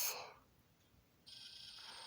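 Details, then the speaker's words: DCC-ready, DC-powered model locomotive with no decoder placed on a DCC-EX main line: faint steady high-pitched buzz comes on and holds, showing a plain DC motor sitting on DCC power. "Yeah, this is it's not DCC on board. This is a DCC ready, and it is DC powered."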